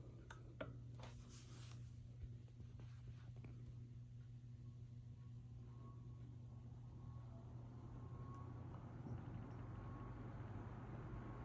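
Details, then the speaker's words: 1955 Emerson 77646SL 12-inch desk fan on low speed. A faint, steady low hum with a soft, likeable motor whine and no rattle or scrape; really quiet. Normal, healthy running. "It's really quiet as well. I like the motor whine this one has."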